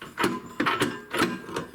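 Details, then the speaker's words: Toro snowthrower with panel off and spark plugs out, pulled over: rough, gritty clunks in uneven bursts, grinding inside the crankcase; starter first thought stuck, now a broken connecting rod is suspected, not confirmed. "maybe the rod's broken certainly sounds like something grinding in there doesn't it"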